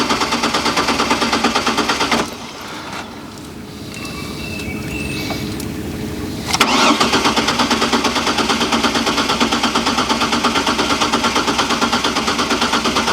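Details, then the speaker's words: Trailblazer that ran when parked, sat 5 years (catalytic converter suspected): fuel pump audibly running with power confirmed at relay pin 87, starter cranks at a steady rapid beat, pauses, cranks again, never fires; crank no start, relay probably not the cause. "so even with the fuel pump running which i can hear it i don't know if you can hear it it does not run so it's probably not the relay"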